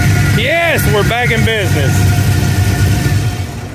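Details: Camaro on the 2023 Hot Rod Power Tour that developed a noise on the road, after a roadside fix: a deep, steady V8 rumble with even firing under some squealing and music; the engine is running smoothly again.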